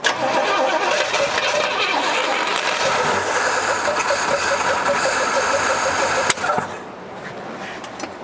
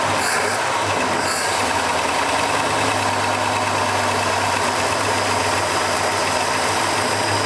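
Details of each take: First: Uneven cranking with rough firing, then one sharp backfire bang during a start attempt of a 1972 Pontiac LeMans that sat 20 years in a barn; single exhaust, pedal being worked. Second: 1972 Pontiac LeMans barn find with single exhaust, running after sitting 20 years and an earlier backfire: loud, steady V8 idle with an even low rumble and no misses or knocks; runs smooth.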